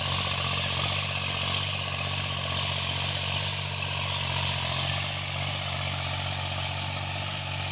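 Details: Tractor diesel cultivating after an engine-knocking repair: steady, even drone with outdoor field noise behind it and no knocking, pulling cleanly and running normally under working load.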